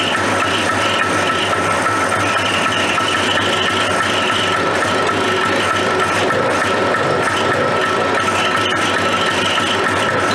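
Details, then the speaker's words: Suzuki Fury two-stroke twin snowmobile with factory twin pipes, suspected ignition issues, restart after spark check: engine runs unevenly with a ragged stumbling note that never settles; rough running, problem unresolved. "it was running not that long ago but it wasn't running well"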